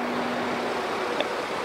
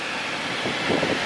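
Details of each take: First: BMW F10 535d in for loud engine noise: loud steady rushing whoosh of the electric cooling fan running at high speed; owner reports fan goes to high while driving, fault code only for throttle flap. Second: BMW F10 535d whose electric fan ran at high speed because a thermostat failing to open raised coolant temperature; after thermostat replacement (water pump not replaced), the fan gives a steady airy whoosh without rattle or surging, engine around 86°C.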